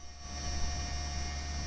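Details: PowerBook G4 laptop during Mac OS X 10.5 install: steady whirring drone with thin constant high whines over low hum from the cooling fan, not the hard drive; owner plans to take it apart and oil it; noisy cooling fan.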